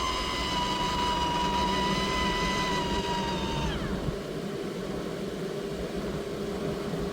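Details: Maxx Air roof fan in a camper van running at max speed: steady high-pitched squeal over the fan's whoosh, then sliding down and fading; fan motor squeal before motor overhaul or replacement.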